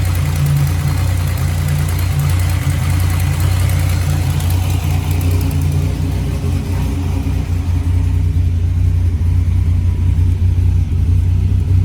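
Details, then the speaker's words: Buick WE4, after cam sensor refitted, following a stall-and-no-restart breakdown: smooth, even, low idle with a steady beat and no misses or ticks; engine running healthy. "She's alive. Ha. Stupid cam sensor. Stupid cam sensor. I hate you."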